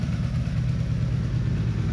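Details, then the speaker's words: 1984 Honda Interceptor VF500F after rebuild of blown engine and valve lash adjustment, small water pump gasket leak: starts right up, smooth even low burble at about 900-1,000 RPM idle, no ticking or tapping; normal idle. "But yeah, let me turn this thing on and show you guys just how smooth this thing's running. It is insane. And the throttle response, ooh-wee. Starts right up. Idle's so smooth."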